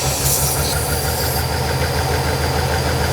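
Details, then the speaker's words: Auction V12 car at idle: deep, lumpy, uneven beat with occasional stumbles, clearly misfiring. A vacuum leak from the top is suspected and valve cover leaks are seen on the left bank. Cause not confirmed. "all right so there she is she's definitely misfiring but by god look how big the thing is"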